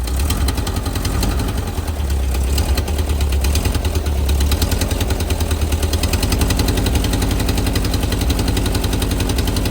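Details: Type 4 engine at idle; low, loping idle with a dull knock beating in time with the engine; engine knock at idle.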